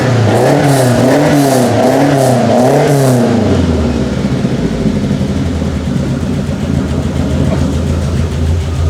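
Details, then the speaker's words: 1967 Lotus Elan +2 starting after four years parked: three quick blips with clean rise and fall in pitch and audible induction noise, then a smooth even idle; running happily with no leaks. "beautiful sounds amazing doesn't it yeah it's seems to be quite happy doesn't it yep nothing leaking there running beautifully"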